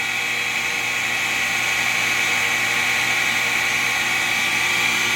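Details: FloTec FP4150 water pump installed just 15 months ago now makes a harsh, steady, high-pitched grinding rasp while running.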